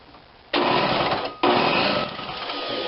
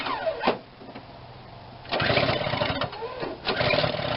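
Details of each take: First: Snapper 17-inch snow thrower, cranked electrically with a compression tester fitted (about 100 psi): two short bursts of quick, even cranking with weak pulses as oil and junk spray out; the cylinder is flooded. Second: Snapper 17-inch snowthrower under repair, primed and started: the small single-cylinder engine catches and settles into a fairly steady run with some surging, with no knocking or grinding. Normal running.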